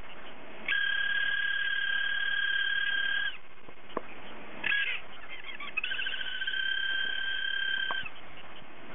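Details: Hard disk drive whose spindle motor bearing has failed so it no longer spins properly: high, steady two-note squeal in bursts between clicks, like a cat meowing, from the failed spindle bearing.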